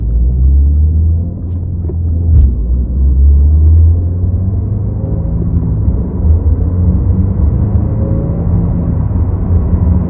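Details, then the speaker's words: 2022+ Subaru WRX with STI-style wing, after installing Noble whistle-b-gone kit, test drive at 50+ mph, phone in back: steady low road rumble with no whistle, only a tiny residual noise — wind whistle gone at speed. "all right you guys so I don't hear the whistling sound anymore which is kind of weird and I'm so used to it"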